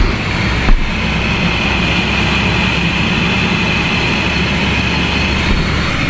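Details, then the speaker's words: Mercedes-Benz S550 W221 after blower motor and resistor replacement, blower on setting seven: even rushing airflow with a faint steady whir and no squeal, ticking or rubbing; the blower works normally. "i can feel it come out the vents i can feel it come out events now and you can hear it that is on"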